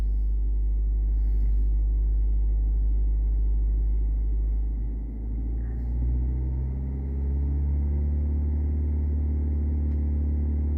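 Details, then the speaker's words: Audi A4 (B6/B7) petrol engine under light throttle with an uneven, stumbling pulse from a misfire on cylinder 3, codes P0300–P0304; misfires badly under load, slightly at idle; coolant leak; carboned spark plugs suspected, to be cleaned. "so if we watch our misfire counter on number three we can actually hear the misfire so if I hold my accelerator pedal lightly"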